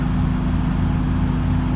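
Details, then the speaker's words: Carbureted V8, first start of the season. Owner suspects a vacuum leak from reused carb gaskets softened with WD40, and the carb was modified. A low, uneven burble with a lumpy, wandering beat, as if about to stall. Rough idle; it runs but won't idle. "but but it just doesn't want to idle quite yet"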